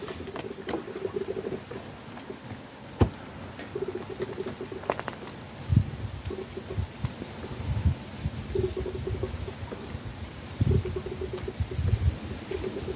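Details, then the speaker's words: Volvo P2 with a new power steering pump fitted after a failed serpentine belt, reservoir filled with CHF 11S slightly above the mark: irregular soft gurgles and pops as air bubbles out while the pump primes; rack not drained; normal priming. "Okay, so that's filled up to about here, which is slightly above the fill level. But as soon as I put that down, you hear that bubbling."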